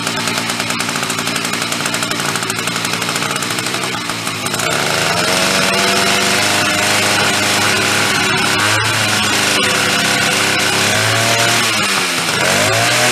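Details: Chrysler Sno-Runner snow cycle (title says 1979, speaker says mid-70s), sat 40+ years, on old fuel with choke on after priming; raspy two-stroke catches and runs steady, fairly even, loose drive chain flopping and rattling, running normally.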